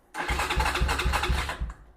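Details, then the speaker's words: Venom Ghost Chopper 250 motorcycle: starter cranks briskly, about four even compression pulses a second, but never fires; handlebar kill switch in off position, so no start. "Don't forget, you have a kill switch up here on the handlebars. And if that kill switch is turned to the off position, then it won't start."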